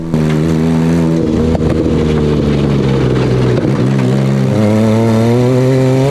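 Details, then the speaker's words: Off-road buggy at full throttle: hard-revving engine with rising pitch broken by ragged pops and stumbles mid-pull; something not running right, popping under throttle. "So at this point, something is not running right with the buggy, and listen to how much popping this engine is"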